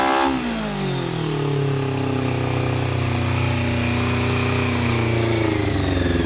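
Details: 1990 Honda CBR600F four-cylinder being revived, after starter fluid start; settling from high fast idle, revs hunting and wavering with choke nearly off; owner suspects intake air leak at carb boots; erratic idle.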